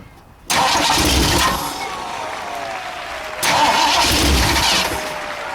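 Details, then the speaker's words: 1960 Ford F100, 351 Windsor unrun for decades, carb needing rebuild, a valve cover off: fires, then revs sag and hunt at idle before picking up; rough idle from fuel starvation. "Looks like it's started. Yeah. Trying to idle. I'll turn it up a little."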